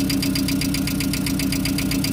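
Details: VW Gol engine at idle with a light, fast ticking of about eight per second from the valvetrain; the hydraulic lifters (tuchos) are suspected, and the tapping is said to ease once the lifters charge.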